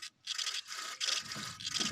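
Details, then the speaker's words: Removed alternator from a Ford Mondeo Mk3 2.0 Duratec that developed a whining noise while driving (ABS light came on), pulley spun by hand: three rough, gritty scrapes; the bearing is badly worn, causing the whine. "can you hear that listen that's well gone we could hear that on the car but you imagine that turning really fast yeah that's that's the problem"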